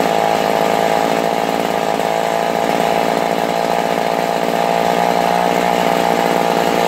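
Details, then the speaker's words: Vintage McCulloch Mac 110 (2.0 CID) chainsaw, restored after being found in water at a dump, first run: loud, steady high-pitched two-stroke buzz with no misfires or surging; normal running. "Guys, yeah, my ears are fractured. It's loud."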